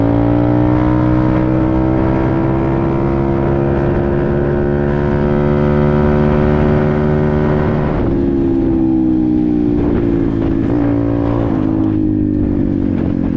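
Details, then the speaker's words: Apollo RFZ 125 X18 pit bike, after swapping the stock carburetor for a new NIBBI PE22 22 mm carb (briefly adjusted), on a test ride: strong clean pull as revs climb and drop through the gears, no popping or stumbling; healthy acceleration. "Wow. Woke it right up. Unbelievable."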